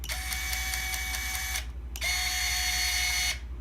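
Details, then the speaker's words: Scale RC winch driven by a Hobbywing 1060 ESC on a 500 mAh 3S LiPo, worked with a momentary button after the ESC arms; two steady high whirring runs near 700 Hz stopping cleanly, normal winch operation. "now I can just simply operate the winch with this momentary button"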